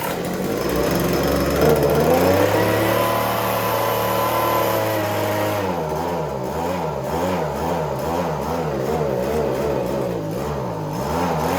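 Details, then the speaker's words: Echo ES-210 handheld two-stroke leaf blower, about 15 to 20 years old: engine speed surges from top RPM almost to dying and back; suspected fuel delivery issue, gummed-up carburetor probably needing rebuild. "it's doing this weird RPM fluctuation. I can start it, it'll run, but it'll go from top RPM all the way down to almost dying and then back up."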